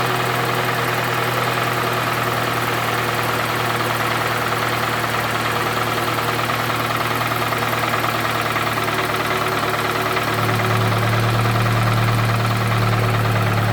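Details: Toyota Camry 2AZ 2.4L petrol, 220,657 km, smoking from under the valve cover: rough idle with a steady knock about three per second under a loud, harsh roar; knock source not pinned down, cause suspected.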